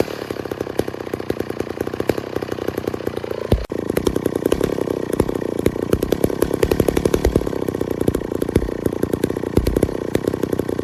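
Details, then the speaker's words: 1966 McCulloch 250 two-stroke chainsaw, low-hour one-owner saw stored 25-30 years, factory chain, cutting wood: crisp even buzz with rapid steady firing picking up cleanly under cut; sounded great, running healthy. "but sauce sounded great worked well and I'm happy to have it in the shop"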